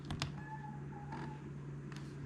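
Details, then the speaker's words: Toshiba Satellite Pro 400CDT replacement floppy module (ZA1219P02): two sharp clicks, thin whir and hum without seek rhythm; disk fails to read, belt inside drive failed. "well fail not reading retry fail nothing which is funny because it was actually making a totally different noise"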